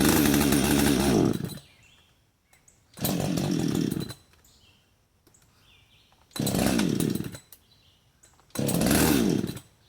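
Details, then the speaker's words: Husqvarna 562xp, hot after cutting, sat 15 minutes in the sun at 91°F and ~100% humidity, primer bulb only a quarter full: fires in brief bursts and dies each time; hot-start stumble, owner suspects vapor lock/fuel starvation. "It will stumble, but so far will not start. I'm sure when it cools down, it'll start just fine, like it did when I first started cutting."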